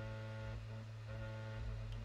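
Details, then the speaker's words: PS5 copying a Crash Bandicoot 4 disc to the SSD: steady low buzz with a rattly edge, which stops when the side panel is pressed; the disc drive is silent, a loose side panel vibrating from the spinning disc. "so if you can hear this rattling sound it goes away when i press on to the side panel so my disk drive is silent it is not creating any noise but it is the side panel which vibrates when the disc is spinning inside the drive"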